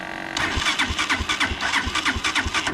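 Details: Unidentified, probably Chinese four-wheeler, cold day, after new fuse fixed wiring, warming up before oil change: starter whirr catches within a second, then quick even popping idle on choke; clean normal cold start.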